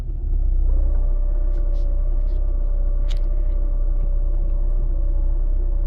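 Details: VAZ 2110 manual gearbox at idle: steady mid-pitched hum that stays after replacing all bearings, seals, differential gears and release bearing; hum stops when clutch is pressed.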